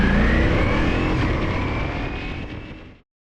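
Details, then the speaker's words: Ducati Multistrada V4S at about 16,000 miles, in first gear with clutch fully in while coming to a stop: engine note sags over about three seconds and cuts out; stalling at idle, fixed by throttle body adjustment. "you'll see i was in first gear coming to a stop and the bike just stalled"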